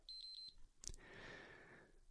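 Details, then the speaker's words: PlayStation 5 powering on after repair: the light returns to blue, then three short high beeps come in quick succession followed by a soft click and quiet hum, a normal successful boot. "You see how it's gone back to a blue light now and then it should go to a white light and we should hear those lovely three beeps. The three beeps of success."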